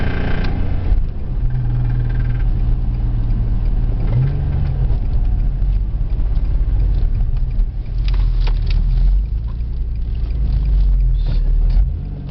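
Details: Twin-turbo Infiniti G35 engine: heavy low rumble with a rough pounding knock at steady revs; engine knocking, cause unknown.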